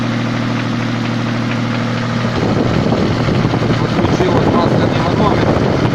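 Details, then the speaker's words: Toyota 7M-GE petrol engine, just started at idle: faint, uneven light tapping three to four times a second growing audible; specialists suspect crankshaft knock, possibly cylinder head, unconfirmed. "Специалисты говорят, что коленвал стучит. Вот сейчас, по-моему, начинает его слышно простукивать."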